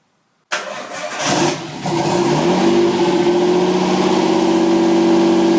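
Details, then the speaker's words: Nissan 240SX S13 RB20DET, second start attempt after reconfiguring the factory harness and jumping the neutral circuit, no mass airflow sensor fitted: short crank, fires right up into a fast, steady high idle, no misfires; no vacuum leaks found, cause unconfirmed. "well it runs just [ __ ] awesome see yeah surprisingly it actually fired right up and the idol is definitely high"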